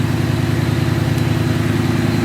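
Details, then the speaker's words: Ford F-150 with a Coyote V8 swap done by Lawless Street Car, first time heard finished: low, deep burble at idle with a steady, even pulse and no misses or ticks. Healthy idle. "Nice deep. That sounds good. Oh, it idle down there. Yeah. That thing sounds good, man."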